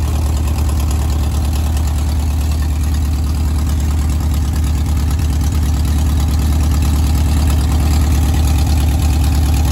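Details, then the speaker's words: 1970s Gazelle kit car (1929 Mercedes SSK replica) on VW Bug chassis, flat-four barn find sitting for years, first start after oil check with points not cleaned: steady even idle, low regular beat, no knocks or misses; normal idle. "well I'll just see if it starts and it did unbelievable"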